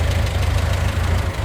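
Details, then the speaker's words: Talbot Express van on its first proper test drive after engine mount and valve work; engine sounds quiet apart from a rhythmic puffing chuff at idle from an exhaust blow that sounds pretty bad; exhaust leak. "sounds quite quiet other than that exhaust leak which is sounding pretty bad"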